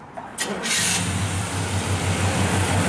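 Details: 1967 Chevrolet C10 with a 327 V8, after a frame-off restoration. Brief cranking, then it catches cleanly and settles into a steady, even idle with no misses or knocks; runs perfect.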